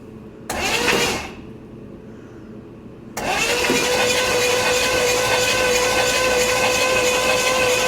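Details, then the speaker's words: Buick 455 big block (built to 461) in a 1971 Electra 225, first start attempt with a carburetor that sat outside all summer: brief crank, pause, then long starter drone that never catches; flooded, fuel ran down into the carburetor. "come on uh that don't sound good yeah that's not good that all went right down in the damn carburetor"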